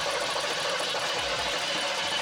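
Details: Barn-find 1970s Chevrolet C3 Corvette sitting 20 years, fresh gas and priming: steady fast starter whirring for the whole clip, never firing; cranks but won't start, before ether was used.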